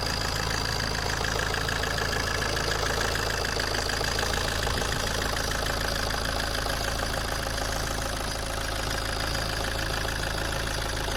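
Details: Alfa Romeo 159 JTD 150 hp diesel idling evenly with a light, steady tapping clatter about three times a second; the owner asks whether it is normal, and the cause isn't pinned down.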